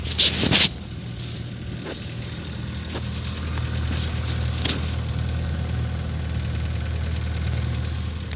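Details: Ford Focus 3 at idle: steady low idle with distinct occasional sharp ticks, a diesel-like clatter like a cold start; the knock appeared after the oil change at the TO-2 service, cause unknown.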